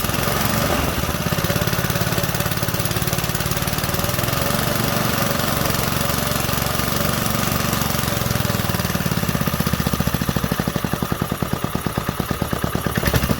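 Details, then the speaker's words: 1968 Briggs & Stratton 2.25 hp single-cylinder, first fire after sitting decades, on full choke; quick even putter, soft muffled exhaust, steady speed; runs normally and quietly. "Full choke. Hot damn. Man, that muffler is so quiet."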